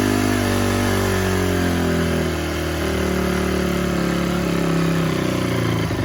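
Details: 2004 Honda CRF250 single-cylinder after a full rebuild, running once the plugged carburettor pilot jet was cleaned: revs and settles cleanly, picks up throttle without stumbling or popping, and the carburetion sounds healthy.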